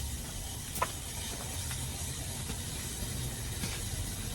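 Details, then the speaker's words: Old fire-sprinkler dry valve being reset, main control valve just cracked open; low steady rush with soft hiss and no knocking as water flows up and straight out the drain, normal before closing the main drain. "So, you start to hear the water moving. All right. Can you hear the water moving a little bit? And now what it's doing is the water is just going up and straight out the drain."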